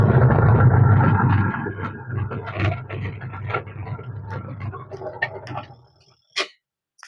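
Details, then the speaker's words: Washing machine wash motor abnormally loud at start-up, low hum and rough churning then uneven rattling as it fades; with water added the pulsator does not turn, and it spins freely. "इससे जो है आपको थोड़ा बहुत पता लग गया होगा कि इसमें प्रॉब्लम क्या आ रही है क्योंकि सबसे पहली बात तो ये आवाज ज्यादा कर रहा है"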